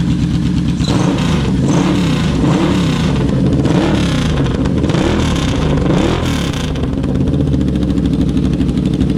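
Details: Yamaha Vmax V4 motorcycle after repair, now running on all four cylinders with idle a bit higher: idles and revs cleanly with no stumble or dropped cylinder; all four firing evenly, airflow previously balanced while on three cylinders.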